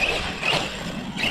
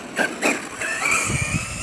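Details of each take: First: ARRMA Kraton 6S RC truck after a hard bash session, with power not reaching the wheels properly: surging motor whine over a rough crunchy grinding that swells with throttle, from a damaged, binding differential (rear diff to be checked first). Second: ARRMA Kraton 6S RC truck test run after rebuilding a crunchy, grinding differential, in freezing cold; motor whines rise and fall cleanly with throttle, no crunching or clicking, normal drivetrain operation.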